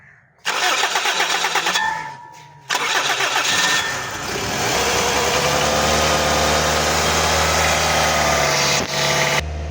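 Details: Toyota Corolla with a morning cold-start problem, recently fitted with a gas kit, check engine light on and temperature gauge not working; starter grinds, engine catches to an even slightly raised idle, smooth hum, no misses; normal idle.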